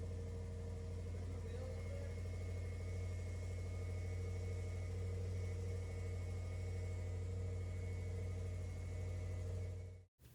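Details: 2007 Subaru Impreza WRX EJ255 first start after head and head gasket replacement, oil system primed: smooth, steady low idle with an even beat, no knocks or ticks for ten seconds, then shut off; running normally.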